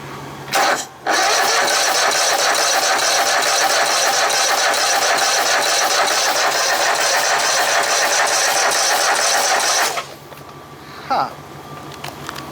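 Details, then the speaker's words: Poulan Pro small engine: about nine seconds of steady cranking, roughly two beats a second, no firing; spark present, fuel pump fine, problem at the carburetor. "two we're getting gas up to here so it's not a problem with the fuel pump it's with the carburetor so we'll have to tear back into this"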